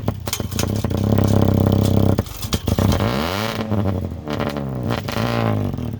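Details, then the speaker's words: Diesel truck, 146 on it, sat 2 years, primed after a new sending unit, revved cold and blowing black smoke; uneven revs stumbling between pulls; rough cold running, owner suspects water in the fuel and says it needs to warm up. "Okay, this thing runs good. It's just there's probably some water in it as well. It just needs to warm up a little bit."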